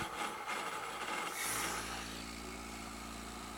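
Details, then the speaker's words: Pump test rig: vapor bubble from about 28 inHg suction clears once the tank valve reopens to restore pressure, and the rough crackling rush gives way to a steady, even pump hum as running smooths out. "can see things got smoother the bubble disappeared"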